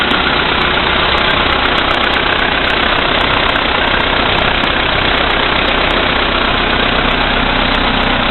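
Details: VW Polo Sedan CFNA engine, 2222 km, cold start at -5°C after sitting overnight, oil three marks below max, 98-octane fuel: steady cold idle with a light, even tick-knock of two to three a second that grows with electrical load. Knock of unknown origin.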